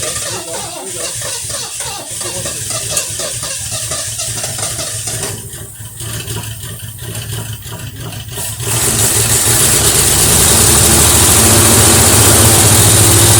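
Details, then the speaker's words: 1973 Mercury Cougar XR7, first start since 1985, on its untouched original carburetor with fuel poured into the bowl and the choke partly open. Catches and settles into an even idle, louder with some hiss; runs fairly decent. Normal idle. "It's amazing, this carburetor hasn't been touched, and it sounds like it's running fairly decent."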